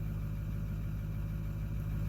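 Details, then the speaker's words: 2009 Ford F250 6.4 Powerstroke diesel (emissions deleted) after #7 injector replacement and injector adaptive table cleared: steady, even idle with smooth low rumble, no stumbles; idle speed in spec, no cylinder 7 misfires, still some vibration. "It's still vibrating and stuff, but at least the engine sounds like it's running evenly a little bit. Let's take a look here. It feels like it's evening out."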